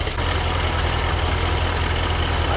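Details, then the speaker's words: Sand rail with a newly installed replacement air-cooled motor and factory exhaust with muffler: steady, even low idle rumble with regular firing pulses, no knocks or rattles; sounds healthy. "Sounds pretty good."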